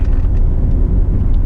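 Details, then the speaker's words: Jeep Grand Cherokee 2.7 CRD turbo diesel driving on asphalt: heavy, uneven low grumble and vibration. First suspected an outer CV or front wheel bearing, but the short driver-side front shaft end at the inner CV joint is rumbling in its housing, possibly broken off, leaving little front drive. "It's quite grumbly. We were worried it was an outer CV or a wheel bearing in the front when we first started driving on the asphalt road again, but no, it's the drive to the front wheels,"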